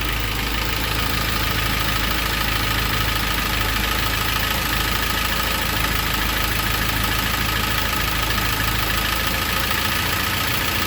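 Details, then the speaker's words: K24-swapped Honda CRX at a steady, even idle of about 800 rpm, smooth with no hunting or stumbling. This is after the throttle body fix, where the butterfly's contact points were marked and the idle adjustment screw was set. "Let me see what the RPMs are right now. Good. Same thing about 800."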